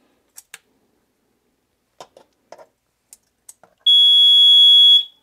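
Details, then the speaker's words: Basement Watchdog sump-pump water monitor, sensor dipped in a tray of water: a few soft handling clicks, then a loud, shrill, continuous high tone for about a second. The sensor has detected high water; the alarm stops when removed. "okay and that's your sensor now how loud it's going to come across the video but it gets pretty loud and so it'll keep going off until either the battery dies or um you know you you address it"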